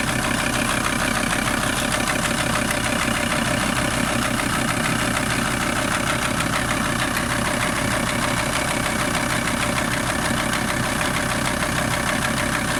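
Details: VW T4 TDI 150 diesel engine: steady idle with a repetitive knock roughly three per second running through it; engine knock at idle, cause unclear.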